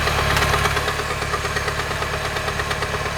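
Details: 2011 Mini Countryman petrol engine idling, mic in right wheel well: loud rod-knock-like clatter about three per second, present six months, no oil debris; traced to worn water pump pulley.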